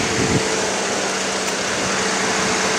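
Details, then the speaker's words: 2016 Cadillac SRX at idle with AC on, after new pressure switch and cleaning corroded connector: steady, even air rush, no ticking or rubbing; condenser fan cycling on and off normally to cool condenser. "clean the connector up a lot i mean i really should replace the connector but the ac fan is turned on for idle on and off to cool off the condenser so um looking pretty good"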